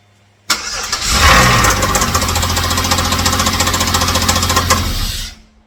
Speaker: That does not sound good.